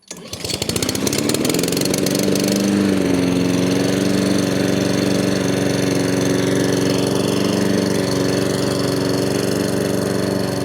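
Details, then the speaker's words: Honda HRN216 mower after the surging fix (new carburetor, air filter, spark plug, fresh fuel, old fuel and sediment cleaned out): it catches, settles within seconds and holds an even, steady note with no surging. "Alright, that seems to have fixed the issue here."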